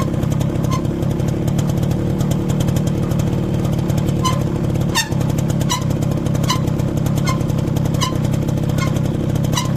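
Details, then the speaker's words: Motorcycle riding with light, regular ticking from the rear wheel about three times a second, from the rear drum brake after new brake shoes were fitted; noise to be traced and eliminated. "ये देखा आपने कितनी बुरी आवाज़ आती है कि आप लोग खुद अकेले जा रहे हों, फैमिली साथ हो, अजीब अजीब आवाज़ें पिछले व्हील से आती हैं।"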